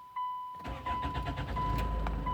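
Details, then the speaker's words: Hyundai Tucson 2007/2008, 2.0 L diesel, code P0340, normally cranks without starting: while cold, a chime then the starter catches quickly and the engine fires and settles to idle; crank sensor reads fine cold but cuts out when hot, needs replacing. "طبعا السيارة اشتغلت معنا. حساس الكرنك يقرا ما فيه اي مشكلة، لكن لما تسخن السيارة يفصل الحساس."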